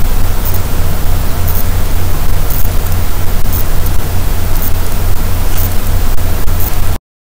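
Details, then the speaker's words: ESP32 board recorded by microphone: a low, steady electrical buzz with faint ticks about once a second while transmitting WiFi. The scope showed the power rail was fine. Lowering WiFi transmit power may help; the source is unclear. "i listened really carefully and i can actually hear noise when i transmit wi-fi so i've managed to capture it using my microphone and here's what it sounds like"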